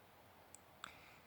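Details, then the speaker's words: 2009 Kia Borrego 3.8L V6 that cranks but won't start, no related codes: during fuel pump actuation test two sharp relay clicks with no pump hum; relay switches but fuel pump not running, cause suspected. "الريلي يعمل في صوت التك تك، الريلي يشتغل الريلي لكن الفيول بامب لا تعمل."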